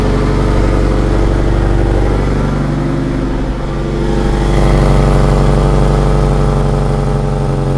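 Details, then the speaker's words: Honda S2000 with stock exhaust, cutout valve actuator clicks but does not shut: loud raw rapid exhaust drone at about four pulses a second, swelling slightly, sounding straight-piped; exhaust cutout valve stuck open. "You can hear it click, but the valve isn't shutting. So when we start the car, basically just straight pipe."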